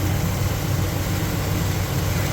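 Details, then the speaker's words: Monte Carlo with Holley carburetor, electric choke fixed and fast idle bumped up after rough adjustment off the manifold: deep, even rumble at steady raised speed, no misses or hunting; normal fast idle. "Okay. And as you can see, it's back on the car and running."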